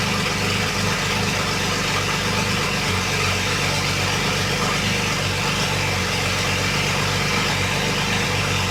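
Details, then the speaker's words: BMW 335i wagon swap, first start in new chassis: steady, even idle with smooth low rumble, no knocks or misses; engine running cleanly, though fault codes remain. "we did get it started and after so much work that we've put into it it is nice to hear it running in the new chassis"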